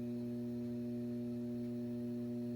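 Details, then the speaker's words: Data East/Williams System 11 pinball machine: steady low buzz with a droning overtone that never changes, the constant speaker hum, addressed with an auxiliary power supply fix. "the other one if some people have is just a constant hum like a constant buzz if I don't know if it's going to pick it up but if you could hear that that just constant buzz"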